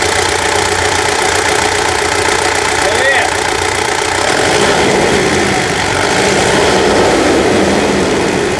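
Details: Mitsubishi Triton Savana manual, 150,000 km, serviced for first gear popping out and gearbox noise: engine catches and settles into an even, steady idle with no knocks, ticks or misses; sounds healthy.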